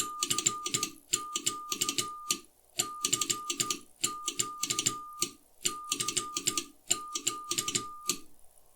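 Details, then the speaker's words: Hallicrafters HT-40 ham transmitter after repair and tune-up, on about five minutes, keyed into a dummy load: steady CW tone near 1.2 kHz, no pitch slide, almost no chirp; stable output. "pretty good almost no chirp that i can hear and again i am transmitting into a dummy load"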